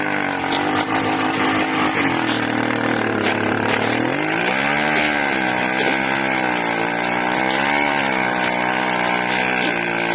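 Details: 80cc two-stroke engine drops low, then hunts up and down in pitch without throttle changes, surging unevenly; owner suspects a carburetor or intake manifold leak.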